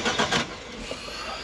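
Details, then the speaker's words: Cheap salvage car, first start with newly cut keys: starter turns the engine over in a few quick beats but it never fires; the dash shows "fuel cut off, see handbook", so a tripped crash fuel cut-off is starving it. "yeah fuel cut off see handbook yeah yeah it is yeah so on these they've got a fuel cut off"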